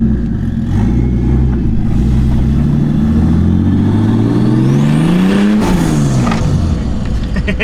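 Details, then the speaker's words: Budget turbo conversion with no wastegate (flap welded shut) and no oil lines yet, WD40 sprayed in the turbo: climbing turbo whistle then a whooshing release on throttle close, as if it had a wastegate; source unclear. "sounds like it's got a gate. What the Why does it sound like it has a gate?"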